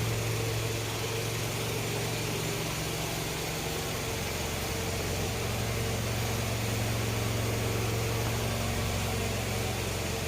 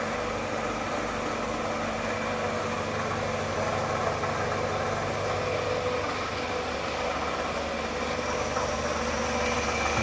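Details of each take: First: Old Toyota Camry petrol engine at idle after its water pump was replaced: smooth, even idle with a steady low hum. The earlier growling noise had been traced to the water pump by stethoscope. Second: Circa-2005 Toyota Camry (2AZ engine) petrol idling: steady rough growl or snore under the engine note from inside the engine, traced with a stethoscope to a worn water pump, to be replaced.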